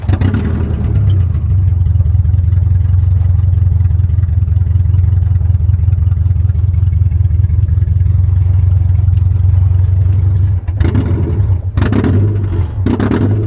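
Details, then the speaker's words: Honda H22 engine, started with a screwdriver: lumpy, uneven low drone stumbling about once a second, revving oddly, because one spark plug wire was left off after a compression check; dead-cylinder misfire. "Oh, I took the wire off. I took the spark plug wire off. I was wondering why it was sounding like that."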